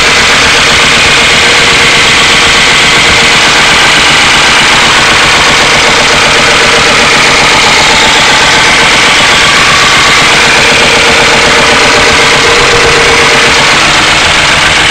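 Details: 1992 Ford Crown Victoria 4.6L at idle: loud steady idle with a light, fairly quick ticking-knock throughout; owner suspects low oil pressure and plans to replace the oil pump, cause unconfirmed.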